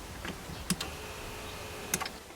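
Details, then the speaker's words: Mercedes G500 (W463) power tilt steering column: faint thin whir of the tilt motor spinning freely between button clicks, but the broken plastic coupling (dogbone) moves nothing, so the wheel does not tilt. "press the motor spins you see motor is running so what happens is that the plastic piece is the coupling is a broken see that it's a spinning it's a broken that allows the steering wheel to tilt"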